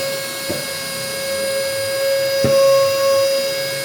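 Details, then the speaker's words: Cordless vacuum (little dolphin) run from a full charge, about one minute in. A clean, steady mid-pitched motor whine with no rattle or sag. Normal running. "So now it is running. You will see how it is going to work."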